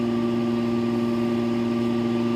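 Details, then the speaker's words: Fan motor powered by a modified sine wave solar inverter: starts fine but has an intermittent harsh electrical buzz from the choppy power, annoying but not harmful to the fan; motor buzz from modified sine wave power. "It's not having a problem firing it up, but you do hear that that intermittent buzzing sound in it. Now, you know, it may be a little annoying in this fan, but it's not going to hurt the fan."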